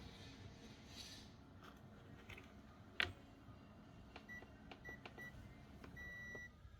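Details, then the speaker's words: Panasonic 100V induction cooktop that was mistakenly plugged into 220V, being powered on: a switch click, then three short high beeps and one longer tone; it draws 4 W and still powers on normally. "Các bạn nhìn này bật nguồn này ô vẫ nghe tiếng tít tít gì đấy có ăn 4 w này ố vẫn bật được lên nhá các bác"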